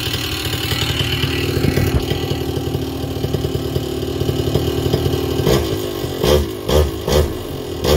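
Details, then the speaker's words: Vittorazi Moster 185 paramotor, warm engine, low-speed carburettor needle leaned out: steady idle, then sharp throttle blips where revs dip and slowly creep back up; slightly lean low-speed mixture. "so when it's too lean on the needle that was actually pretty close to ideal that's kind of where i like it but when it's too lean on the low needle you blip the throttle and the rpms com"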